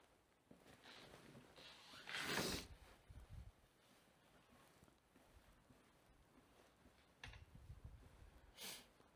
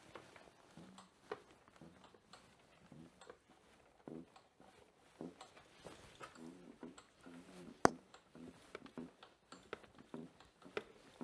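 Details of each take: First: Also wie man hört, hört man nichts hat d gesten. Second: Rear shock (Federbein) creaking quietly with each suspension compression; new top mount didn't fix it; cause was the shock spring rubbing on the airbox.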